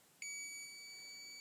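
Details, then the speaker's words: Multimeter on continuity setting with probes touched together before testing an old Osram 5ft T12 80W fluorescent tube: clean high steady beep just over a second; normal continuity beep. "So I have a switch down reset onto that. So put the two together and you hear the sound of beep."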